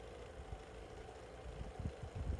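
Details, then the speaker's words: SMC 6-inch desk fan, cleaned, on low speed: low steady hum with an uneven rattling knock underneath; owner unsure whether it needs oil or something is loose. "not sure what's this noise that's it's doing but if anybody can tell me what it is and and tell me if it's a if it just needs oil something that if it's something loose that would be greatly appreciated"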